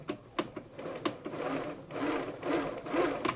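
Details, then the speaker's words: Bernina 930 Record Electronic sewing machine, not yet serviced, lid on, drive engaged: light, even whirring with a soft needle-bar tick about twice a second, no binding. Needle bar moves reasonably smoothly; normal running. "you can see the needle bar down here moving up and down reasonably smooth machine"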